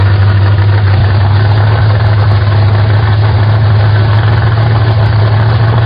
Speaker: Fire the car up and see where it wants to idle. Of course, I'm going to turn that in a couple turns, turn and a half or so, just to make sure that it'll idle once I fire it up and I have some adjustment.